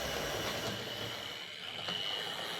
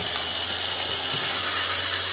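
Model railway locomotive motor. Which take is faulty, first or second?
second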